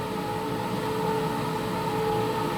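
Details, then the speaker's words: Wall-mounted gas boiler with a new heat exchanger, heating mode, circulation pump on third (maximum) speed, door open: a steady, even hum with no whistle. Normal operation; the noise heard at first speed is gone. "переключаем третью скорость максимальная котел работает в нормальном режиме даже с открытой дверцей у него звук совершенно нормальный"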